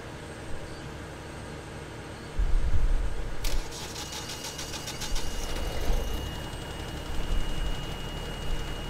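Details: Generator with Power Wizard 2.1 controller cranked in manual mode: brief cranking catches quickly into a steady even run, no misses or knocks; normal crank and start.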